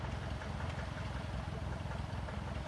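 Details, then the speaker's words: Light aircraft piston engine on floats, leaned and idling on the ground, heard outside the cockpit: loping idle with a light quick clack over the top, hydraulic lifter clatter, not audible inside with headsets. "yeah a little clack yeah yeah that sounds like a list that's lifter lifter clatter"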